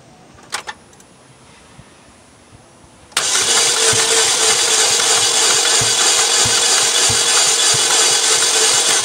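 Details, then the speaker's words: 2007 Saturn Vue four-cylinder during a compression test on cylinder one: the starter spins the engine fast and evenly, about three beats a second with no compression pulses; gauge stays at zero, and no cylinder has compression. "it did not move at all that's not good at all well i think we got a problem here"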